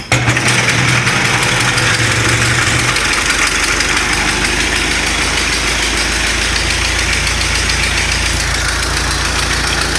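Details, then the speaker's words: 1934 Ford Model A four-cylinder, fuel and ignition on, timing fully advanced, half throttle, started with the hand crank: fires at once, then holds a steady, even idle with no misses or knocking; seems to start easier by hand than with the starter. "almost seems like it fires up easier by hand than it does with the starter but it's alive"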